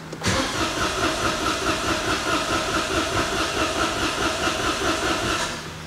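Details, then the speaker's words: Citroen AirCross 1.2 three-cylinder 82 PS with little fuel: starter churns at a steady beat for several seconds, catches briefly but never fires up; cranks, no start. Owner suspects no fuel or a slow fuel pump. "okay try that again well it's like it tries"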